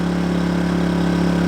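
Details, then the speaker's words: KINGS 2 kVA generator running a caravan air conditioner set to 16°: steady, even drone with a firm low hum holding pitch under load, not offensively loud; normal running under load. "it's not offensively loud be very interesting when I play this back to see if I can hear myself"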